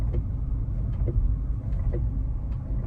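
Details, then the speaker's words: Tesla rolling about 9 mph on an undersized spare tire: sharp clicks about every second with brakes pulsing on and off; owner suspects ABS/traction control triggered by the tire diameter difference, brakes heating up. "you hear that clicking sound that's the abs here popping off i would bet listen that's the same exact sound i heard in knoxville"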